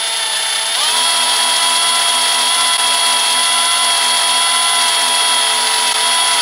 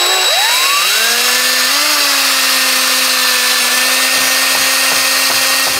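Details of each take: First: Combi drill with bit pressed by a spreader clamp, drilling slowly through a steel window lintel: steady high motor whine at constant pitch holding evenly under load; cutting steel smoothly, normal. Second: Cordless drill with a 6 mm masonry bit drilling up through plasterboard above a window: spins up, then a steady bright metallic whine as the bit hits a steel lintel.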